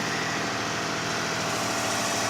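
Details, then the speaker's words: 2005 Kia Sedona 3.5L V6, 116,000 miles, after new timing belt, tensioners, idler, water pump and harmonic balancer, no accessory belts fitted: smooth, quiet cold-start idle with no ticking or knocking. "So here you go. Absolutely quiet at startup. I mean, listen to it. This sounds beautiful. No ticking, no knocking, no nothing. Not a thing."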